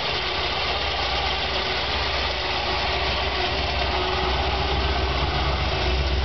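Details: Chevy 454 big-block V8 on its first start: a lumpy, uneven idle beat over a steady rumble; running rough, cause unclear.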